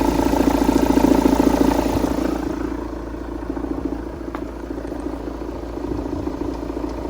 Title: Engine knock after flywheel replacement